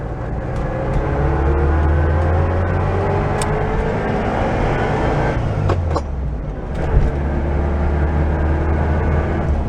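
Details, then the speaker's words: 1974 VW Super Beetle on a drive, transmission whine worsening for years: thin whine rising and falling with road speed over engine rumble; owner suspects the main bearing, not confirmed. "So there's a rather loud, pronounced whine that it has, which I believe is probably going to be the main bearing."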